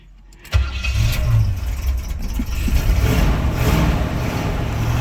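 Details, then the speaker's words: 1976 Suburban first start after sitting about 25 years: engine catches and runs with an uneven, surging rumble that dips and recovers, carburetor starving for fuel and needing help; no smoke. "Here we go. Do you believe it? The carburetor needs a little help, but"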